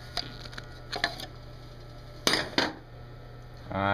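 A steady low electrical hum drones on under scattered clatter and knocks, the disposal motor humming loudly after overheating.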